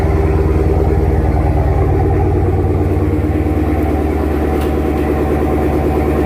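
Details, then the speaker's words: After relocating the MBRP race exhaust modules and their brackets, blamed for the rattle: low steady idle, even pulse about three beats a second, at the speed where vibration was worst, no buzz or rattle; fixed, normal idle. "so you see how the idle came down here is where the vibrations will be the worst right around where it is right now that's where it usually was the loudness and the most uh most noticeable but you see we don't hear it"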